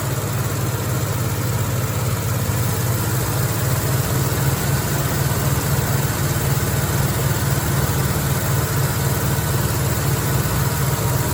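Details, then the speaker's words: 1969 Pontiac LeMans with its stock V8, parked since 1996, first start after about 25 years: a deep, steady, lumpy rumble holding an even idle without stumbling, running on its own fuel. "[Music] wow there you have it we got the judge coverman Le Mans slash GTO project uh running and"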